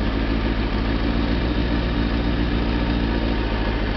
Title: zx6rr after plugs have been cleaned - misfire / fluffy running cured 06/04/2009